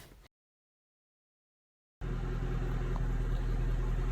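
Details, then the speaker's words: 2008 Mercedes C63 AMG V8 after repair of hydrolocked engine, parked almost a year, started on fresh petrol; deep, even rumble with steady beat and no knocks or ticks: running very sweet, healthy. "We haven't cleaned it obviously or anything like that, but the important thing is the engine running very sweet, as you can hear."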